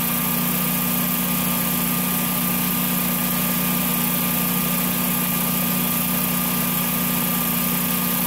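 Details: Generac standby generator repaired for an RPM sense loss failure, terminals sprayed: steady, even engine drone with a constant hum and no knocks or hunting. Normal running.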